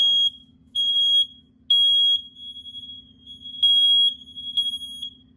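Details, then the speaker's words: House interconnected smoke detectors that chirped and drained batteries for 20 years, after repair with AC power at every unit: loud high-pitched beeps in bursts, several alarms sounding together on test; normal smoke alarm test. "they all communicating so that seems to have fixed my 20 year long problem"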